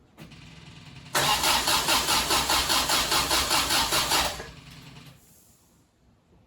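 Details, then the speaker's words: 1974 MGB cranked at its first start after at least 12 idle years, fuel pump running: steady even compression beats, never catches. Carb pistons move and compression tested good; owner suspects the electronic ignition, but the carburetors were delivering no fuel. "okay i'm not getting any uh action here i'm hoping i have the uh electronic ignition hooked up right"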